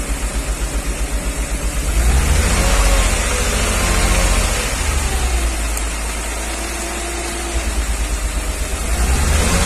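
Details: 1994 Mercedes G320, Japan import, held at steady rpm as injectors are unplugged one by one: light metallic tick that swells and fades, quietest with cylinder 2 cut; worse cold, quieter warm; piston knock suspected, not like a rod knock, unconfirmed.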